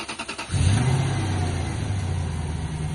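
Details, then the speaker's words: Lexus LS430 revived after sitting, just after new spark plugs to cure misfires: brief crank, catches into low slightly lumpy idle, sounds much better but still puttering a little; slight misfire at idle remains. "Oh yeah, I can tell. It sounds so much better. Oh. It's still puttering a little bit."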